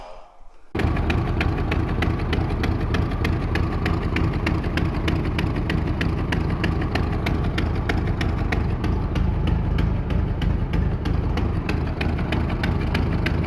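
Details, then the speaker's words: 1924 (also called 1925) Ford Model T, unrun for many years, first start after starter was pulled apart and serviced: catches and settles to a steady even idle about three beats a second, no knocks; normal idle, no coolant in. "that is awesome it's got no uh cooling in so we better not let it run for too long"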